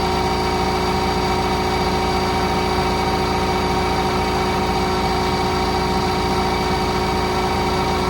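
Diesel idles steadily with a dense, buzzy clatter underneath; some loose rattle is present, though its source isn't clear from listening.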